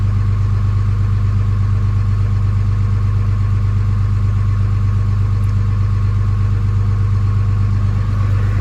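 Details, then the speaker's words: Early 2007 Ram 3500 5.9 Cummins diesel, G56, 326,000 miles, cold at 31°F, automatic factory high idle; steady, even clatter, no misses or odd knocks, healthy. "Oh, there's high idle. So that was just automatic high idle."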